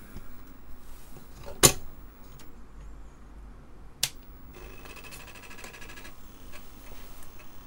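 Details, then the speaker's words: Apple II Plus Disk II floppy drive after teardown and repair, successfully booting from disk: a few sharp clicks, then about 1.5 seconds of rapid, even buzzing chatter as the head steps. The drive sounds healthy. "But we've just successfully booted from this disc, so our head alignment's good enough. Drive doesn't sound bad."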